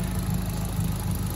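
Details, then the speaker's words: Mitsubishi Colt Ralliart (CZT) turbo after fitting a custom Dynodaze exhaust manifold; steady, even low idle with smooth rumble and no knocks or misses, quiet after the fit. "Oh, that sounds lovely. You can't even hear nothing now. That's great, Jason."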